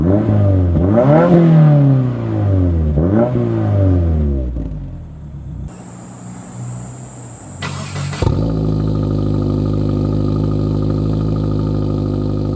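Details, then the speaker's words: Lowered Subaru VB WRX after intermediate pipe upgrade (replaced after damage while driving): deep, clean exhaust note rising and falling with revs, cold start noticeably louder, then settling into a steady idle without rattles or blowing; normal exhaust note. "so there we have it um I've done the upgrade to the intermediate pipe a few sound Clips come through there so hopefully uh you get a bit of an idea of what it sounds like on the road um as well as from idle when it's cold started it's a lot louder"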